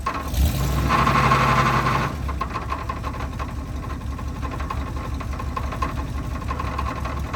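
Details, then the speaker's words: 1980 Cadillac Coupe DeVille after swap to long-tail TH400 transmission with cut-and-welded driveshaft, freshly filled with fluid: rough start then steady low thudding knock about three per second at idle; owner suspects loose torque converter bolt, knock goes away under load. "All right, so it sounds like there's something going on with the torque converter, like a loose bolt or something, but it goes away under load and the car is moving."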